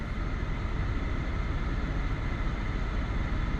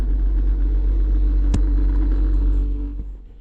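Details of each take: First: 2016 Toyota Sienna cabin blower motor after replacement (old one screamed high-pitched, then rumbled), 48°F outside: steady, even rush of air with no ticking, rubbing or squeal, easing slightly near the end; normal blower operation. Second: 2016 Toyota Sienna front blower motor makes a steady low droning hum with a faint constant tone at every fan speed; the rear blower is quiet. The owner plans to replace the blower motor.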